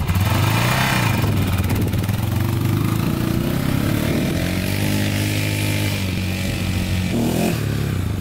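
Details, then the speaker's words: 2001 Honda 400EX after a rebuild and warm-up/cool-down heat cycles, before an easy test ride. A steady single-cylinder thump with an even beat and no knocks or rattles: it runs smooth and quiet. "all right she runs really good really smooth very smooth very quiet machine here"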